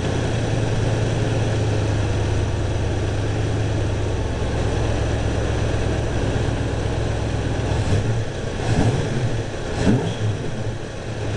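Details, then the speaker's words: Timing advanced to about 18–20 degrees (balancer set at 10). Steady low idle, then throttle blips stumble with uneven pops. Part-throttle hesitation and exhaust backfire; less rich smell than before. Cause not confirmed; leaning the carb is next. "all right so it doesn't smell as rich as it did before I stuck on my far throttle hesitation and a little backfire through the exhaust"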